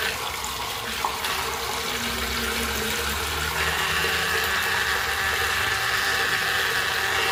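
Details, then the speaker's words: Faucet on a 2000s Celite sink: steady hiss of running water with a thin whistling tone creeping in partway; noisy tap, cause unclear. "tá muito barulho. Tá fazendo barulho."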